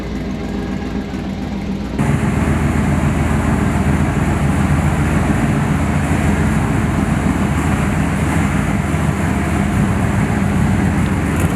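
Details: 1969 Chevy C10 454 big-block just after swapping in a 1000 hp-rated TH400 automatic, shifter linkage not dialed in, fluid not yet topped off: steady even rumble, no clunks, whine or slipping surges; drivetrain healthy.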